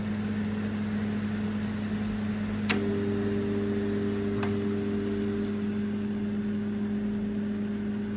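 A microwave hums steadily and evenly, with no rattling or grinding, sounding quiet and healthy.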